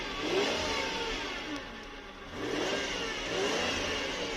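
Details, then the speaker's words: 1992 Lexus LS400, 1UZ-FE V8 (early thick-rod engine), after fuel pump replacement and fixing unearthed injectors, warm after about 10 minutes on a cold night: revs up smoothly, eases back and picks up cleanly with no misses or knocks; normal revving. "good lovely Happy Days see how it's running outside it's lovely man lovely"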